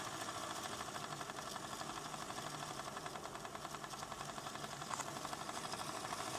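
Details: ADDA computer fan with bad bearings, running better than before: fast buzzy rattle with ticking flutter over the airflow, steady throughout, worn dry fan bearing.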